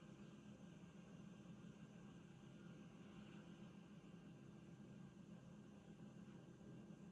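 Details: Revox B77 MK2 tape deck at idle: quiet, steady low motor buzz and faint hum with vibration; reels start spinning after about 30 seconds.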